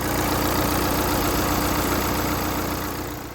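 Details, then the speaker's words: Mini Cooper D diesel after belt refitted; it had a bad rattle, feared chain guides: even, steady diesel clatter at idle, no rattle or knock, sounds good. "and as you can hear this is the mini coopa D the diesel version"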